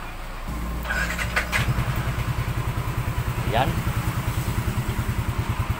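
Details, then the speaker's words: Yamaha NMAX 155 with a remapped ECU, after a repair for a noisy engine: starts and settles into an even, steady idle with no ticking or tapping; the noise is gone. "wala ng ingay"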